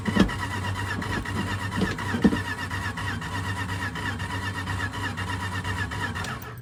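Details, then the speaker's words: 1983 Dodge D150 Prospector parked 25 years, cranking on gasoline squirt: starter spins engine steadily but it never fires; no spark because coil-to-distributor tower full of leaves and no coil wire fitted. "Found out why she wouldn't fire. Where the coil wire from the coil goes to the distributor is full of leaves and no wire to the coil. That might have something to do with it."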